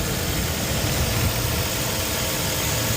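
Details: 2007 Hyundai Sonata 2.4 started after replacing torn drive belt and broken idler pulley; steady, even low idle rumble with no belt squeal or chirp, engine sounds healthy: normal idle.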